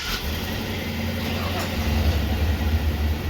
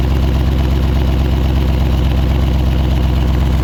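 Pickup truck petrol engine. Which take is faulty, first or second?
second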